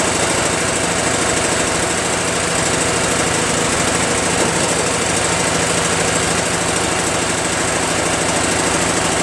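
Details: Craftsman (Yard Machines) chipper shredder small single-cylinder flathead engine after starter replacement and valve-seat clean-up: loud, fast, even chugging holding a steady speed, no misses or knocks; running normally.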